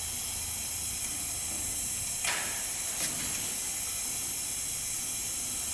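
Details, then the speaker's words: 2006 Yamaha YFZ450 Special Edition quad, engine stopped, leak-down test: steady airy hiss of air escaping out the radiator, meaning the head gasket is blown or not sealing; seller reported white smoke and ticking. "if you hear air coming out of the radiator that means that the head gasket is blown or not sealing properly"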